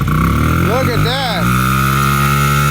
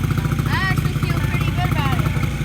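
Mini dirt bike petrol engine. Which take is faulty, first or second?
first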